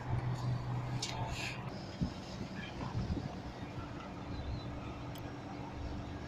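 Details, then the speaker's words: Petra package unit, R22, ZR144 and ZR94 compressors: after bypassing faulty time delay relay, compressor starts and runs with steady low hum under outdoor rumble, confirming timer problem; suction around 50–60 PSI, gas possibly slightly low. "Compressor चालू हो गया, यानी टाइमर का ही प्रॉब्लम"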